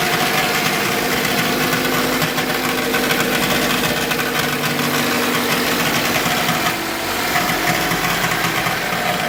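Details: 2008 Toyota Corolla LE petrol engine on cold start: a busy, fast metallic rattle over a steady idle hum that lasts a few minutes after starting and goes away after driving.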